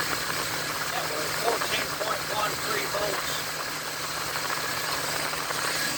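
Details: 2000 Chevy C3500 with 7.4L 454 V8 and a no-crank fault traced to a ground-cable voltage drop; battery fell to 10.5–11.2 V while cranking. Started on the key, it holds a low, steady idle with no stumbling or knock; runs fine.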